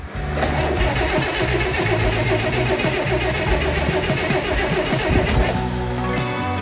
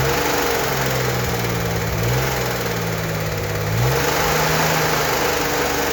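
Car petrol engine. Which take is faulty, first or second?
first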